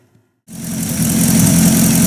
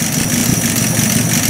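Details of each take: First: Buick Roadmaster straight-eight warming toward temperature, running mediocre: a steady idle with a hissy, puffing exhaust leak, a sizable leak puffing a little black smoke and the source of the smell noticed while driving. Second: Warm Buick Roadmaster with air cleaner (air horn) installed, tach bouncing 450–500 rpm; low, steady idle with no stumbling or misses: normal warm idle under the added load. Owner unsure how the choke will do cold.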